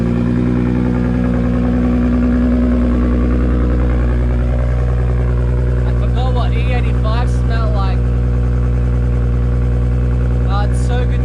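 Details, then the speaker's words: R33 Skyline with freshly rebuilt fully forged RB25DET, warming up a couple of minutes after start: smooth, even idle with steady low drone, no knocks, ticks or misses; healthy warm-up. "usually it wraps up a bit there I let my engine warm up for a little while even about a couple of minutes"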